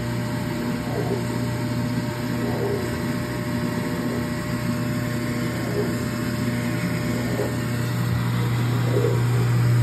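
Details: Speed Queen washer (AWN412SP111TW01) not spinning, clothes left wet: steady motor hum with a faint regular swish but no spin-up, motor runs while drum stays idle; broken drive belt, replaced with new belt.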